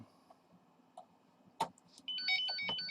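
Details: Thecus 4100PRO NAS booting from USB drive after reinstalling the DOM module: a few faint clicks, then a quick run of high chirping beeps rising and falling; meaning unclear, afterwards no ping replies and the USB drive stops flashing.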